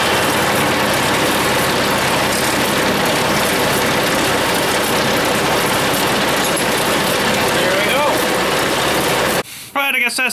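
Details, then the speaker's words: John Deere front-mounted sweeper after fitting a shortened new drive chain: even, steady rushing clatter with no slap or surging; first run sounded a little tight, then better, and the chain now sounds properly tensioned. "let's fire it up here again and see if it sounds funny or anything or what's gonna happen sounds a little tight baby that sounds better"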